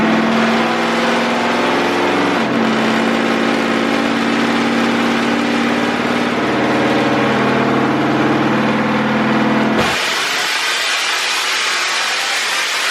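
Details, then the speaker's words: 6.0L LS-swapped Willys Jeep with LS cam and heads on dyno, breaking up at the same rpm each pull; tuner suspected electrical cause. Steady high-rpm howl wavers and breaks up before cutting off; valve float. "same thing i heard it break up one second should have shot past that i'm thinking there's something electrical that's the only thing that could magically do it at that rpm"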